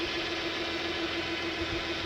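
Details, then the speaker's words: Toyota 1MZ-FE, first start after a four-month bearing repair, with the exhaust leak fixed and the exhaust rebolted: steady, even idle with a smooth hiss and no puffing or ticking; exhaust sealed, normal idle. "Okay, exhaust all back together. Everything's all bolted up. Let's try this just one more time. No more exhaust leak, yay."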